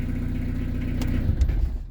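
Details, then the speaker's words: Peugeot 205 TD diesel, forged and prepared, after first 1200 km break-in service with PES injection pump modified to run in an oil bath, pump shutoff wired to a Mercedes solenoid: steady even rumble, then engine shuts off and stops cleanly in about a second; normal shutdown, shutoff works. "Là c'est l'arrêt de coupe de la pompe. Moi j'ai tout branché sur le noyau de Mercedes. Je vais modifier pour couper ma pompe."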